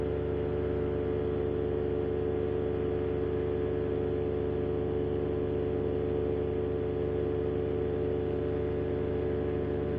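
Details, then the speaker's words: Paramotor in flight after a propeller repair failed shortly after takeoff: steady drone with a pulsing beat about four per second; pilot hopes it's only a balance issue, not the repaired tips coming off again. "Hopefully it's just a balance issue and not the tips come off again."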